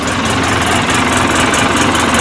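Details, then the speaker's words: 2012 Polaris Ranger 800 twin, after repairing the injector sub-harness that caused code 06515, power loss and running on one cylinder when warm: steady even idle, both cylinders firing, no check engine light; normal idle. "everything's running good sounds good"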